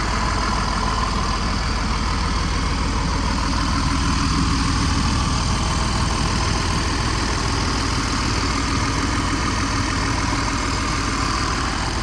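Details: Diesel pusher RV on a Freightliner chassis, idling warm with good oil pressure: a deep, even diesel rumble with no misses or knocks; sounds healthy.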